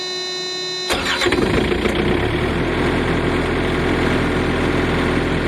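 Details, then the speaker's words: Two-zone truck reefer trailer fridge diesel engine starting: a short quiet spell, then it cranks, catches within a second and settles into a steady, quiet, even idle; a clean, healthy start. "The diesel engine starting now, and it's going to get too noisy. These are really quiet though, this is really quiet, wait until you hear it."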